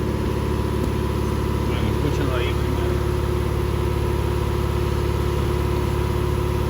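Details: 2018 Fiat 500 after diesel was put in the tank: idle shakes with an uneven pulse, about 3.5 thumps a second, misfire persisting after fuel pump replacement; spark plug residue damaged valves, leaving low compression.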